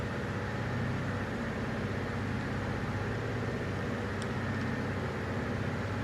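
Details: Toyota Tundra 3UR-FE V8 with a cylinder number 7 misfire: steady idle with a rough low thrum and faint uneven pulses underneath.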